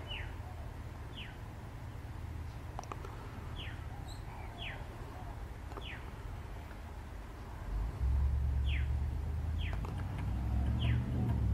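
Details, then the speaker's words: Mini lathe making a cut with the tool set far out on the last set screw: short squeaky scrapes about every half second over the motor hum as the tool setup rubs the compound slide. "So it's just scraping the compound slide."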